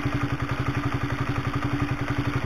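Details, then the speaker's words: Honda CB150R engine after new DID cam chain, new oil and refitted radiator, kick-started, mic near the engine: steady light knocking clatter at idle, about seven or eight beats a second; still some clatter but less than before. "masih kotok kotok ini masih sekelompok tapi masih mending daripada yang lama ya"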